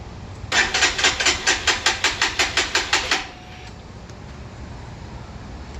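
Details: Freshly assembled, fuel-injected Lifan KPR 200 motorcycle, newly fueled with the fuel pump audible: the starter chugs about a dozen quick, even strokes for roughly three seconds without the engine firing. Cranks but won't start; cause unconfirmed.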